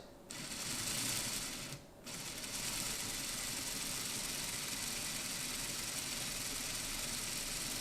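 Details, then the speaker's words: 6-volt CD/DVD drive motor fitted via 3D-printed adaptor in an older Lima/Hornby ringfield model, run fast on DCC: smooth, steady high-pitched whir with no catches or rattles; running cleanly. "Now this is where you can hear that because we've got a 6-volt motor and we're feeding quite a bit to it, it has a tendency to sound like it's about to take off to the moon."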